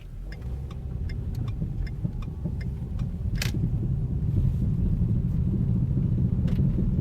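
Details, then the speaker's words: 2010 Ford Focus driving: light, regular ticking a few times per second over road rumble, located at the right rear tire, started two days ago; cause suspected, not confirmed. "Ça vient vraiment de la droite. Le pneu droit arrière."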